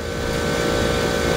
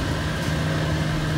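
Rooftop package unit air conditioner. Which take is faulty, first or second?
second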